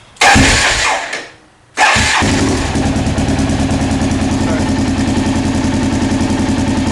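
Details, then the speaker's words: Rebuilt Honda XR650L with new camshaft, Uni filter, FMS header and White Brothers full exhaust, carburettor jetted to match; short crank, one stumble, then a steady deep thumping idle through the loud open exhaust, healthy. "The carburetor has been jetted to match the new camshaft and everything else. The uni filter, the full exhaust, everything's been jetted to appropriately."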